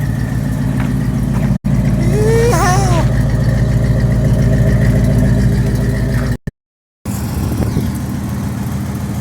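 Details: 1995 Dodge Ram 1500 V8 that died with no spark, after replacing the crank position sensor (magnetic pickup): steady, even low idle with no knocks, misses or stumbles. Normal idle.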